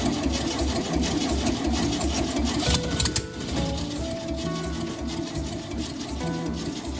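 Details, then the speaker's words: 1971 VW Bus Kombi flat-four, cold idle during restoration with no exhaust or throttle fitted; loud raw open-pipe idle with quick fairly even pulses and some tappet chatter. Nothing wrong with this motor. "nothing wrong with this motor. So what we'll do is we'll put an exhaust on it and hook up the accelerator. So there you go, cold start on a old 71 Kombi."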